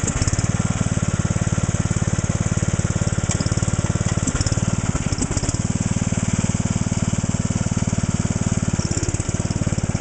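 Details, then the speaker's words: John Deere Sabre lawn tractor, cold start; single-cylinder engine with a fast uneven beat, missing badly; fuel filter already replaced and carb cleaned; owner plans a new plug and air cleaner, cause not pinned down. "As you could probably hear, that thing was missing horribly. So we're gonna have to put new plug, air cleaner, the works on it."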